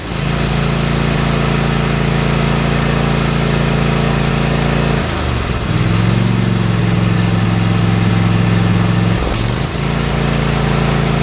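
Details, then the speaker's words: Kohler KT715 20 HP twin-cylinder on a Craftsman mower, after new ignition coils fixed a high-speed miss and power loss: steady even twin beat with no skips through speed changes, runs smooth; normal running. "Well, Guys, well guys, as you can tell, it runs like a sewing machine now. In fact, I went out and did a little bit of mowing on it. No more uh miss on a cylinder. No more loss of power."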